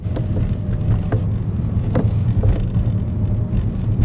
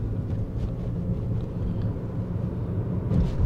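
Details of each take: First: Toyota, common fault: the sunroof clunks over rough roads or at higher speed; irregular dull clunks from overhead over road rumble, often mistaken for chassis noise. Loose sunroof bracket gap; the noise stops when the sunroof is opened slightly. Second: Toyota after a sunroof bracket rattle fix (clip wedged into the bracket gap, glass leveled), driving a rough, bumpy road; only low road rumble, no clunks or rattles from overhead. The sunroof now rides quietly.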